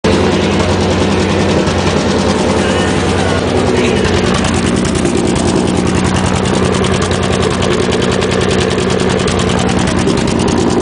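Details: 1991 Nissan Maxima 3.0 five-speed at idle, exhaust rusting out under the car before replacement: loud raspy idle with fast puffing rattle; exhaust leak.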